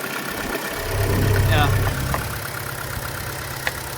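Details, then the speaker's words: Auction car (2004 Infiniti G35 RWD or 2011 Chevy Cruze) at idle: steady low rumble with an uneven, lumpy shaking beat and a brief surge; owner suspects a spark plug or coil pack misfire; rough idle. "it looks like the engine has no problems other than this shaking i think the shaking is probably more likely just like a sparkle plug or coil pack something like that"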